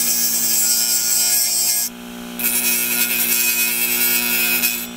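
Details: Homemade micro grinder from an old 150 GB Seagate Barracuda hard drive with emery cloth glued to the platter. Steady hum under a harsh, high grinding hiss that drops out when the tip lifts; running properly, vibration noise.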